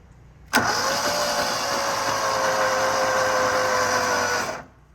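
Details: Rusty auction John Deere mower on fresh gas, new fuel filter and new battery; about four seconds of steady starter whirring with no firing. Spark later checked OK, choke seized, rodent chewing found; cranks without starting.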